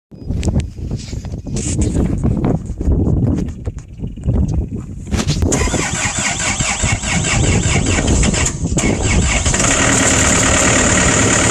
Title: Yanmar 4tnv98ct cold start at 40f(low compression from dust)